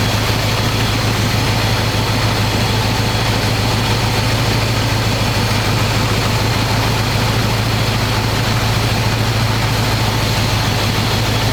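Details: 1985 square body truck, 454 big block V8, 4-speed, sitting 20 years, fresh oil and filter, after idle screw adjustment, running hot: loud, steady, deep open-pipe rumble, even lope, no knocks or misses. Normal idle, though owner says it won't idle down.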